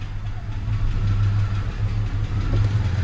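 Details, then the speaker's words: 2000 Jeep Cherokee XJ with coolant in the oil and ticking: low, uneven rumble whose beat wavers and drops out, running rough, then oil pressure drops and engine is shut down; cause unconfirmed. "oh she's running rough the engine got a little bit"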